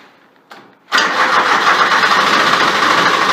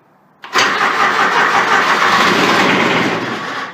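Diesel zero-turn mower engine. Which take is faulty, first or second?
second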